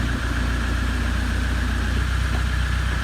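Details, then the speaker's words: Vehicle stationary in the garage in sixth gear at idle, speedo showing about 50 mph with prop shafts removed: a steady engine drone with a fast, even light rattle of the transmission brake drum, which is loose without the prop shaft; nothing wrong. "The noise you can hear is the brake drum chassis because the prop shaft's not on there holding it around."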